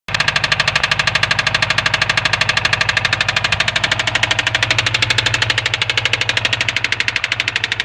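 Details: 2003 Subaru WRX at idle: sharp, regular metallic ticking keeping pace with engine speed; engine knocking, cause unknown.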